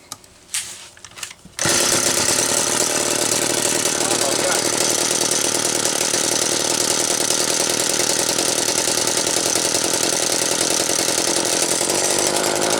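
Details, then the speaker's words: McCulloch Mini Mac 25 chainsaw: snaps to a high, raspy, steady run with a busy rattle underneath; clutch shoes on the spider are loose, dragging the drum at idle so it cannot be stopped; worn clutch. "don't know why the hell those shoes are so loose on that Spider, but whatever it's doing, you guys can see I could not stop this drum."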